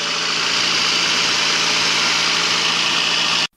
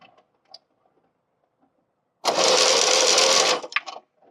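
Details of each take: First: VAZ 2109 8-valve engine idling after water pump replacement (old pump seized and the timing belt jumped): steady even hum with constant hiss, no knocking or rattling; pump fine, healthy idle. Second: VAZ 8-valve engine (2109): brief, harsh, rasping grind from under the hood caused by a seized coolant pump, so harsh it seemed internal to the engine block; the pump seizure made the timing belt jump teeth.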